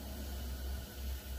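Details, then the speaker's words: S197 Mustang GT, 135k+ miles, front wheels raised: rough, low grinding rumble as the driver's-side front wheel is spun by hand, much louder than the passenger side; worn wheel bearing, growls when turning right, hub assembly to be replaced. "hopefully you guys can hear that grinding sound so the plan is to just sweat swap out the wheel bearing"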